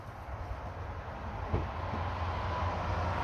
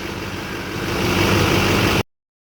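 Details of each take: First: Chevrolet Duramax diesel at idle: a steady low hum under an even idle that never changes; owner suspects the two lower idler pulleys, to be replaced; humming noise at idle. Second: Chevrolet Duramax diesel idling after replacing both idler pulleys suspected of a humming noise: a steady, even low rumble with no hum or whine, so the new pulleys appear to have fixed it.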